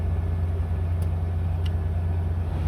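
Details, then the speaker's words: 1999 Toyota 4Runner after replacing the blend door actuator (sub servo), which had been stuck on cold and clicking: steady engine and blower hum with no actuator clicking, normal HVAC operation. "hey no more clicky clicky"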